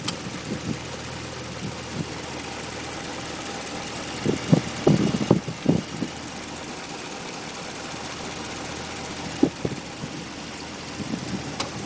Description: Mystery ticking noise from 5.7 hemi in my 2010 ram